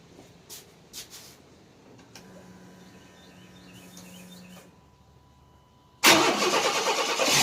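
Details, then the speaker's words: 1993 Chevrolet S10 4.3 V6, 150k miles, after first tune-up in about 20 years (plugs, wires, cap, air filter): catches at once and settles into a steady, even run, no smoke; warmed to temperature. "didn't even smoke all right it's up to temperature now"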